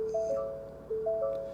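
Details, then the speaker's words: 2022 Ford Maverick Hybrid with 43,600 miles, vehicle on: a three-note rising chime plays twice about 0.9 s apart in a quiet cab, the cross traffic system fault warning. "okay cross traffic system fault can you hear"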